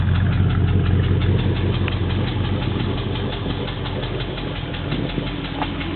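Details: Cold Triumph Stag V8 engine idling with a steady, fairly regular knock of about three beats a second under the exhaust note, audible everywhere around the engine.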